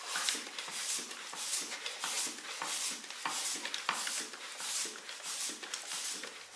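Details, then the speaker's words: Bicycle tire with Presta valve inflated by pump toward its 120 psi maximum; rhythmic hissing pump strokes with sharp pops as the tire bead seats on the rim during inflation. "this one takes 120 and you'll hear the beats popping there you go"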